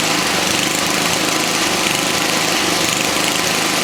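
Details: 1979 Toro 524 snow thrower single-cylinder engine after repair and clearing twine left by mice: steady, even buzz, no misses or surging. Normal running.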